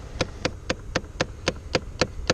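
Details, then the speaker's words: 2008 Chevrolet Impala, glove box removed: sharp, even ticking about four times a second from behind the glove box, from a faulty AC blend door actuator that is being replaced. "now you can hear the noise I was talking about which is right back in here"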